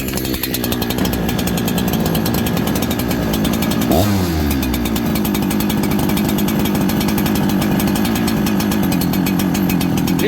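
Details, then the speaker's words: Farmertec 288 kit chainsaw during carb tuning after an oil pump repair. Runs loud and steady at high revs with a burbling, uneven note. Low jet too rich, so it won't idle; lean it out by turning the jet in. "it gets fatter it's more Rich doesn't want to idle kind of foggy okay listen lean it out turn this jet in"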